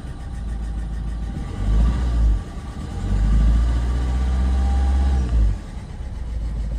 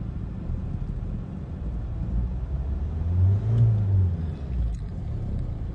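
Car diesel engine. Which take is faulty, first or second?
first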